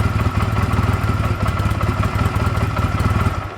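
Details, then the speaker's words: Honda Rebel CMX250 that sat 11 years, first start after the carburetor rebuild, cold, idling on its own tank. Uneven, lumpy idle, then adding choke kills it; owner suspects the mixture screw needs adjusting once warm. "you can kind of hear it's a small rough idle let's try to bump that choke up a little"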